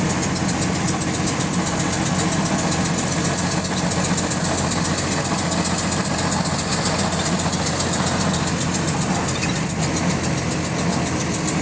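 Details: GAL WVL358 bus on route 486: fast, even clicking riding on the diesel's running note and keeping pace with engine speed; a steady mechanical tick, source unknown.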